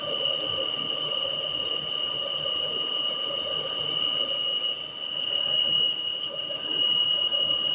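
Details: Peugeot 408 engine: a steady, piercing high squeal over idle, resembling a pulley-bearing noise and hard to track down; it actually comes from the PCV valve on the valve cover.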